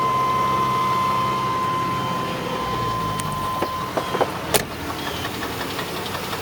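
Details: '96 Chevrolet Blazer 4.3L V6 idling with a steady knock about three per second from the oil pan after the starter housing cracked off; owner suspects a damaged crank bearing, oil pressure still holds.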